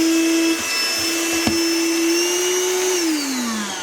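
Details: Deerma handheld cordless vacuum cleaner: high, clean motor whine climbs briefly, holds steady, then winds down; the vacuum motor spins up and runs evenly and normally.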